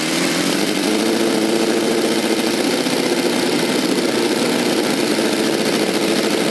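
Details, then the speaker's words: V8 model engine with rotary valve, with new 3D-printed aluminium exhaust manifolds and a manual servo-dummy throttle with an idle return spring: smooth, even high-pitched buzz at steady speed with no misses or knocks; runs great. "guys it runs so great the throttle"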